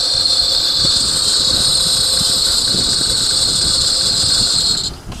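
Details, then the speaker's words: 2008 Honda Odyssey 3.5L at idle: a steady high-pitched squeal rides over the engine and stops at shutoff; the owner is unsure whether it is a bearing or something else. "This car is making squeaky noise. Not sure it's bearing or something else."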